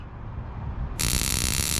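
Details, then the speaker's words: 2003 Infiniti G35 coupe, Hotlicks flame kit install, kit spark plugs tested touching metal: quiet hum, then a sudden steady high buzz of sparks as the button is pressed; plugs sparking normally. "and then boom if they spark up like that so you know they work"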